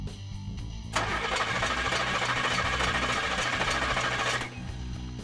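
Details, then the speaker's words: 1974 Chevrolet Monte Carlo with factory HEI distributor, cranking while checking spark with inductive timing light: starter cranks evenly about 3.5 seconds, engine never catches; timing light doesn't flash, no spark. "So, let's crank it. Go on."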